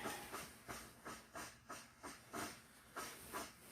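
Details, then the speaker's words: Svea 123 backpack stove from the late 1970s, first firing after 40+ years unused, on new fuel: hiss surges and fades roughly every half second instead of a steady roar. Owner suspects a clogged jet giving uneven flames, or crud that needs to burn out. "Well, after 40 years, I'm a little different also, so it usually doesn't do that pulsing. It'll just get to that high heat range, but maybe it's got some crud it needs to burn out."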